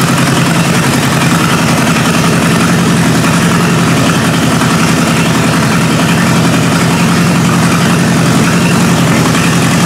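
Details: 1953 Hemi V8 with its old carburetor on a first start: deep, steady idle with an even beat around 160 a minute, no misses or knocks; normal healthy idle.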